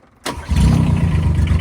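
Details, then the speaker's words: 2024 AGT QK18K-C mini excavator, Kubota 722 three-cylinder diesel, bought at auction, run briefly before: cold start after the glow-plug relay click; brief cranking, catches quickly into an even low chug, little puff of smoke; healthy start. "And just a little puff of smoke. No big deal. This thing is awesome."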